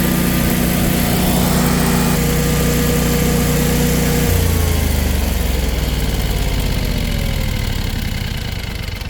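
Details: Generac 24 kW standby generator on gas, first start after installation in manual mode: steady, even engine drone settling after start, no knocks or misses; normal running before a 15-minute warm-up.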